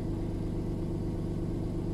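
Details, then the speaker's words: VW Polo with repaired alternator (previously not charging): smooth, even idle with steady low hum, no stumbles; with the new regulator it now charges and no more dropouts; normal idle. "mit den neuen regeln wird geladen und siehe da keine aussetzer mehr"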